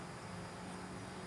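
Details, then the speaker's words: Vehicle fuel pump checked with an amp clamp and scope at 10 ms, at least eight humps, drawing about 4–5 amps; faint steady even hum with low buzz, no surging or grinding — good electrical pattern, normal fuel pump operation. "now this is a good electrical pattern we've got it set on 10 milliseconds you should have at least eight humps across here"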